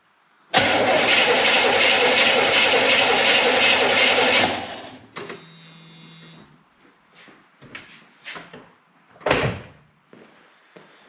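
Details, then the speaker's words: 1972 Corvette, base 350 V8 with reportedly 47,000 miles and 8.5 compression ratio, during a compression test on cylinder 3: starter cranks about four seconds with even pulses near four per second; cylinder 1 read 120 psi and this one looked slightly higher, healthy compression. "all right here we go the compression test to number three cylinder"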